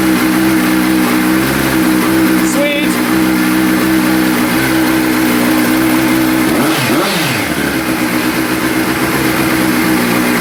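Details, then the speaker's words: 2003 Triumph Speed Four after replacing plastic fuel tank couplings with stainless fittings and fitting new plugs and K&N filter, fuel system pressurized with no leaks; catches quickly and settles into a smooth, even idle with one throttle blip. Normal idle. "All right, starts up. Runs just fine."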